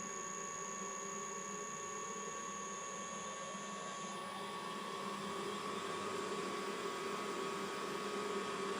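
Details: Mikini 1610L mill's new 2 hp AC inverter-duty motor on a Hitachi sensorless vector VFD, run at higher frequency below full speed: quiet steady hum and even whir, no roughness or pulsing; runs smooth.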